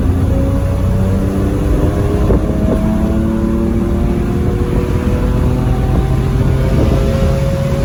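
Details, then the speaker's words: BMW 335i N54 under throttle while driving: the engine note climbs in steady sweeps over heavy road roar, rising faster than the car gains speed. The clutch is slipping; the owner plans a stage 3 clutch upgrade. "so hear that clutch slipping can't wait to upgrade that thing to a stage three"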